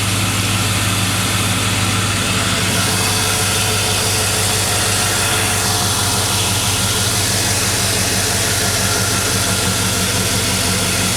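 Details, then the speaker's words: 2001 Chevy Silverado 5.3 Vortec V8 idling after a Flowmaster Delta Force cold air intake install: steady even idle with a deeper, more drummy note, no ticks, misses or suction-leak hiss; normal idle. "crispy running good back over here at idle a little bit change in exhaust note i can hear to my ears it's a little bit more a little bit more drummy now"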